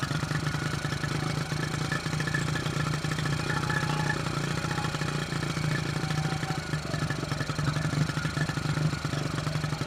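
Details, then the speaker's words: 1974 Honda XR75 with the idle jet changed from 38 to 35 and the fuel screw around 3/4 turn out: a fast, steady idle that stays high even with the idle screw backed all the way out. Cause not found. "Idling kind of high. By idling it down and it's still wanting to idle up."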